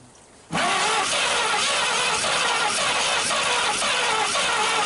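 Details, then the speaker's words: 1939 Chevrolet Master cranking on its first start attempt in 48 years, with spark plugs sandblasted, a coil hooked up and the throttle sticking. Uneven chug with occasional louder puffs; it is firing a little but won't run. One cylinder is thought to have good compression; the cause is unconfirmed. "Definitely she's firing a little, doesn't she? Yeah, she was trying. Puffing."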